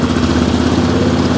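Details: 2002 Yamaha Grizzly 660, not run in 8 years, idling warm with the charging voltage at 14.1 V: steady single-cylinder putter at an even beat with no knocks or misses, a healthy warm idle.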